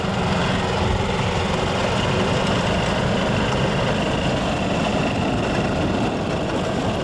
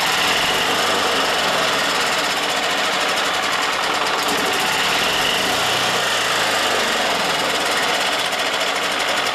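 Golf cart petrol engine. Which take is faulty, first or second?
second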